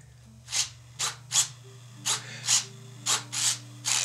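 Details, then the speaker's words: Diatone Ripper R690 EPP FPV flying wing, elevon servos during control-surface check: short crisp whirring bursts stopping cleanly with no buzz; deflections look large but servos move freely without binding, throws okay. "but i don't hear the servos buzzing so the throws seem okay"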